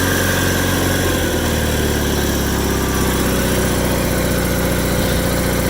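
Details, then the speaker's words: 1987 John Deere 318 tractor, 1200-hour Onan P218G twin, after starter replacement, fixing a loose circuit-breaker wire and tidying the harness; barely run since December: even, steady idle with smooth rhythm, no knocks or misses; starts and runs well. "And I just zip tied everything and tidied everything up, and now it starts and runs pretty good."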